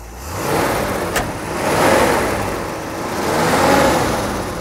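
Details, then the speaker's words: 1975 International Harvester Scout II, stock V8, revved in the engine bay: two smooth throttle blips rising and falling evenly with no knocks, misses or rattles. No smoke cold or warm; a healthy engine. "you can see that here you go you know it doesn't uh it doesn't blow smoke or anything like that and when it's cold when you start it up it doesn't blow smoke either"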